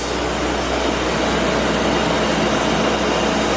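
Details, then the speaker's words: BMW E34 5 Series V8 manual after cooling system refresh (new water pump, thermostat, hoses, coolant, fan clutch, belts, pulleys): steady even whooshing roar over a smooth V8 that eases as the new fan clutch slows; normal fan clutch operation. "Fan clutch working as it should. Good. Slowing down a little bit."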